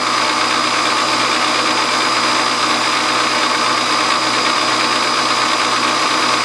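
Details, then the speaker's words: Hobby milling machine spindle running: harsh buzzing rattle from loose drawbar inside spindle; runs quiet with drawbar removed; bushing fitted around drawbar. "I put a little bushing around my drawbar up there with rattling so bad a lotta and that's what that rattling is right now that noise"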